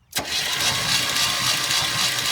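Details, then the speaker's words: 1972 GMC 1500 sitting about 30 years, weak compression, number one cylinder weak: after oiling all cylinders the starter cranks noticeably faster, brisk and even; distributor in, cranking to pump oil up. "See how much faster it's turning over now. All she needed was a little lube."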